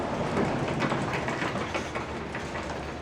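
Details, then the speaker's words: Original wooden garage door on a garage built in 1963, run up after panel reinforcement and plexiglass installed in place of the windows. A busy wooden clatter and rattle as it travels comes from the loose plexiglass moving inside the panel: loose panel rattle. "Well, I can already hear it making some noise here, like wood. But actually, the noise that I hear is the plexiglass moving around inside there."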